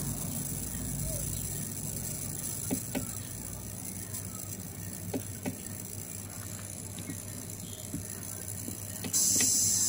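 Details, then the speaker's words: Polytron 24-inch LED TV power supply, powered on and starting from standby: irregular sharp ticks and crackles over low hum and faint high whine from the switching transformer. "ada suara berderik eh kita akan lihat ya sumber suaranya itu Ini ada di trapo switching ya teman-teman"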